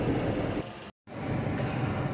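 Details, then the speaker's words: Car that had misfiring, vibration and poor acceleration, after replacing one faulty ignition coil and four rusted spark plugs: even low rumble, no stumble; engine now runs smoothly with no misfire. "അപ്പോൾ അത് മാറ്റുന്നത് നല്ലതെന്ന് പറഞ്ഞുകൊണ്ട് അത് 4 മാറ്റി ഈ coil ഒരെണ്ണം replace ചെയ്തു. ഇപ്പോൾ വണ്ടി ഇത് സ്മൂത്തായിട്ട് റൺ ആവുന്നുണ്ട്."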